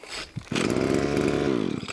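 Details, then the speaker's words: Hitachi B230 two-stroke line trimmer on new cheap Amazon carburetor, after priming pumps: catches on choke, buzzes high and uneven about a second and a half, then dies; stalls, restarted on choke. "now it's already doing more than what it did last time oh and Anna's stalled out a few more pumps chug it"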